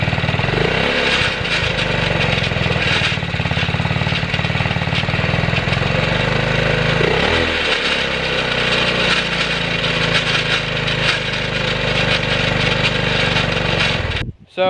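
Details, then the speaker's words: Go-kart small engine running with newly fitted muffler: loud steady exhaust with rough, gritty grinding; owner suspects a loose chain or something near the muffler, which is getting hot; muffler to be removed to inspect. "did you hear the, so the noise, if you heard it, it was like grinding, something like a chain loose or something in here."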